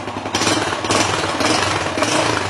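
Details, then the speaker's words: Yamaha Jupiter Z1 (2SU/1DY) after cleaning and replacing the fuel pump filter: engine started and blipped, revving cleanly with a crisp, even exhaust beat, no misfire or stumble; smooth and healthy, throttle response improved. "Jadi ini perputaran mesinnya sudah sangat mantul, nggak ada kendala sama sekali. Digas-gas pun mantul."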